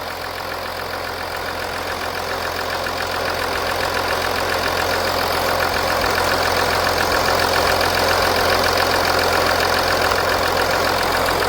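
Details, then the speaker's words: 2014 Audi Q7 3.0L after valve cover gasket replacement and coolant refill, idling: even, steady idle with light smooth hiss, no knocks or misses, rising slightly as it settles; engine sounds healthy. "so as you can hear the engine is running we're going to look around the engine bay to see if we have any lips the engine sounds good"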